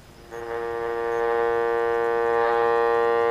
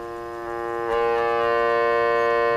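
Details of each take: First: Vintage electrodynamic loudspeaker with humbucking coil correctly phased against the voice coil: steady low hum with even tones dropping in level near the end; hum reduced, though not perfectly. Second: Vintage electrodynamic loudspeaker: the voice coil placed near the humbucking coil, which is in series with the voice coil and matched to the output transformer, induces hum. A steady buzzy hum jumps up in level about a second in, then holds.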